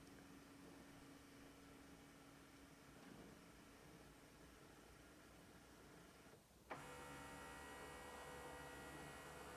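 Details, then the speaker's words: Canon Pixma TS7650i scanning a document started from the phone app: soft steady motor hum with faint regular whir, then a louder even drive tone as the carriage moves; normal scan, about 20 seconds. "So it's going to take around 20 seconds and you should hear the printer in the background start to scan the item."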